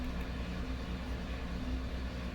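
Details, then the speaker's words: 2018 GMC Sierra 1500 4x4 with 5.3 V8, about 100k: deep idle wavering with brief irregular stumbles. P0300 with misfire history on cylinders 1 and 2, suspected injector problems or intake carbon, also P06DD. Rough idle, intermittent misfire. "and it seems to be stumbling a little bit right now"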